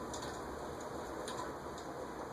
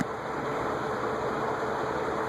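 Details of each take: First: Cast-iron Venton (VEC) industrial ceiling fan, possibly 1970s or earlier, running with airy whoosh and faint high ticks; long-unused stiff dry bearings, expected to quiet after extended running without oil. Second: Venton (VEC) 48 in cast-iron industrial ceiling fan, likely 1970s or earlier, on high speed: soft even whoosh with a faint motor hum, no grinding or ticking, and no bearing noise. Runs smoothly.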